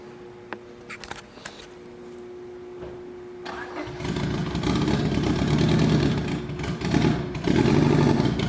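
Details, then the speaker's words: EK Civic B18 LS VTEC with the cylinder 3 injector unplugged runs uneven and lumpy at about 3–4 beats per second. A dead cylinder, and a cracked cylinder sleeve was confirmed at teardown. "so as you can hear the car was not running very well one of the things I did before I drove it home is I unplugged the injector on cylinder number three so that it wasn't firing on that cylinder and not making that hole any worse than it already was"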